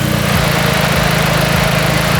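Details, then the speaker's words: Jeep after second power steering pump replacement, system bled of air: engine idles evenly while the wheel is turned, only a small normal groan, no whine; normal power steering operation. "For any of you obvious folks out there, there's a small groan to it because it's a system in work, in play."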